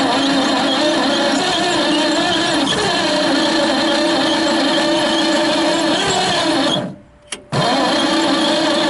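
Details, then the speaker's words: 1928 Franklin at first start after 71 years off the road; steady churning crank with an even drone that never catches, because the ignition timing was set fully retarded. "Hold up. I see it right here. Okay. You just put it full retarded."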